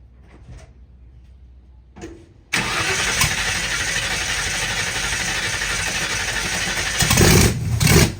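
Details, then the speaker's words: 1960 Ford F100 shop truck with carburetor and open header, first start in years: cranking then a sudden catch into a loud, rough open-header roar with blips; starts under its own power and sounds healthy. "She starts under her own power. Sounds really healthy."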